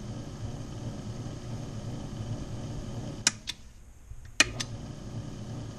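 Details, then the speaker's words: Older key machine's electric motor after repair, running normally: quiet, even motor hum with a couple of clicks as it stops and restarts; smooth and steady, machine fixed. "Oh, yeah, that's right. That's what it was, is that thing stopped. Okay. Oh, that sounds good."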